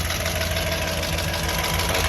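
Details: 2006 Audi S4 (B7) 4.2 L V8 from auction, running with backfiring (coils and plugs due): light fast ticking in the engine clatter at idle, apparently from the front side area; owner doubts timing belt, source unclear.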